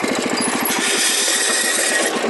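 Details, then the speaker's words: Wheel Horse garden tractor, noise began driving downhill with the clutch pushed in: rapid rhythmic slapping and scraping, about eight a second, over a hiss. Owner feared the transmission; the drive belt was dragging against a cover flap. "oh that sounds so terrible hoping that's just the belt i'm afraid to drive it"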